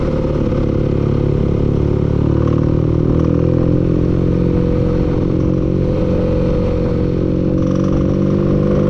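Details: Steady low engine drone with a light metallic clatter over it throughout; knocking from inside the engine, cause not pinned down.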